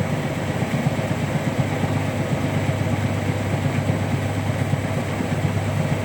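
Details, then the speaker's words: Hotpoint Active Care washing machine on final spin: steady high-speed spin with an uneven low thumping about three times a second from an out-of-balance drum load. "quite an unbalanced spin there guys but I'll let you listen to it"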